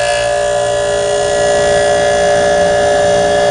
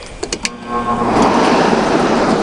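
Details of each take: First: Tecumseh reciprocating compressor in an air conditioner, started outdoors in upper-70s weather on quiet cool: steady, even hum with no knocks or rattles; smooth, normal running. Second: Air conditioner lying on its back, compressor off, indoor fan only: clicks at switch-on then a loud, heavy rush of air; fan too loud, owner suspects its flat-paddle metal fan rather than a blower wheel.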